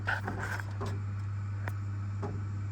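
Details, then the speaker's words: Underfloor heating circulation pump in a doctor's surgery, which had no power from the Nu-Heat wiring centre until the fault was fixed: a constant low hum with a few handling clicks; the pump is powered and running steadily. "You hear that? Pump's running. I can feel it as well. I can feel the pump running."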